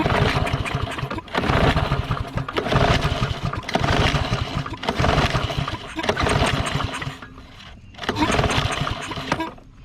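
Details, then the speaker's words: Lawn mower (Troy-Bilt or Yard Machines) that sat unused with water in the gas: repeated recoil pulls, each a short churning burst that dies, never catching; took about 100 pulls and ether; hard starting suspected from water in the carburetor. "we had to pull on at like 100 times G Jr was wore out lot of ether to get that rest that water out of the car braider"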